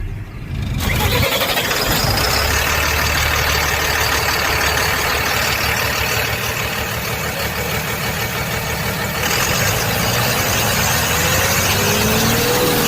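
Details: Tata Signa BS6 truck diesel after self-starter motor repair: starter spins briefly, then the engine catches cleanly and settles into a steady, even idle clatter; healthy start.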